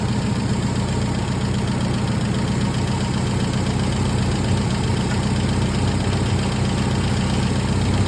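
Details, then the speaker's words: MGB under restoration after engine work: steady even four-cylinder idle, smooth low rumble, no misses, knocks or rattles, no exhaust smoke; normal idle. "Looks like we got everything running good, pairing like a kitten. Sounds good. Idling perfect."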